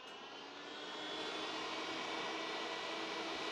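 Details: Data General microNOVA computer powered on after a fan repair and a bolt reinstalled near the fan: a smooth, even airy whoosh rising to a steady speed with no ticking or rubbing, so the cooling fans run cleanly without hitting.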